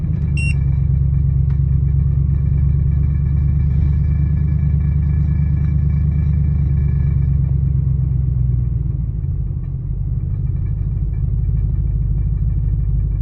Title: 2000 Expedition: Rough Idle - Help!